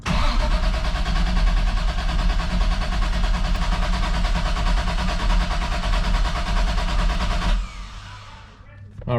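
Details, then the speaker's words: MK3 Toyota Supra after AEM oil pressure gauge install, EFI fuse pulled so it won't start: steady, even starter cranking for about seven seconds to build oil pressure (gauge peaked at 10). Normal cranking. "I'm just gonna put the battery back in pull the EFI fuse and then just crank it until I get some oil pressure"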